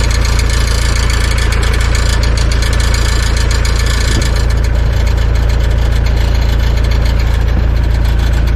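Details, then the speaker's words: Mitsubishi Shogun/Pajero diesel at idle; fast, even metallic buzz from underneath near the door, started a day or so ago, from a broken exhaust weld on a rotten exhaust, to be temporarily welded in place. "there's this really annoying metallic rival let's come in which is very humid um noise sounds like it's coming come by your door somewhere and underneath um Gerson is probably like a plate on the exhaust"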